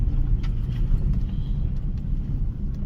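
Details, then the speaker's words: Toyota Soarer SC400 1UZ-FE V8 running after a distributor cap replacement, driving on private land at night: deep, even rumble with no misses, knocks or surging; not overheating, engine warning light out, runs smooth; owner knows a rattle is from a part not refitted. "She's not overheating. Seems to be running smooth. That engine electrical thing has gone out. So yeah, we're looking good."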